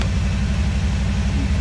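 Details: DeLorean fitted with a 350 V8, after fuel pump work: deep, even burble with a steady low lope, no knocks or misses; normal idle.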